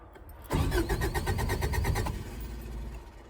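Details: 1984/85 Subaru Brat, 4-speed dual-range 4WD with Hitachi carburetor and electric choke, sat about 10 years. Starter cranks unevenly for about 1.5 s and the engine never catches; no fuel pump is heard, though there is some oil pressure. Crank, no start.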